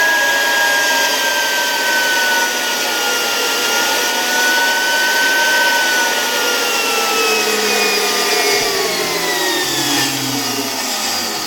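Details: Zelmer 01A vacuum cleaner (1973), type 34 suction motor bench-tested at much reduced voltage via regulator: high whine sagging in pitch with dry scraping hiss; owner suspects turbine rubbing housing rather than motor bearings; capacitor got hot.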